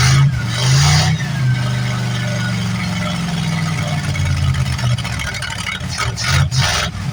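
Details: 1973 Plymouth Fury III V8, off the road 7 years, running cold on bad old gas: a low rumble that wavers and stumbles unevenly. Rough running on stale fuel.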